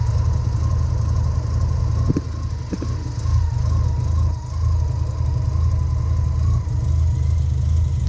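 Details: 1990 Mazda RX-7 FC turbo rotary after OMP delete and new intake gasket fixing a boost leak: low, steady burbling idle, even rhythm, no misses or knocks; normal idle.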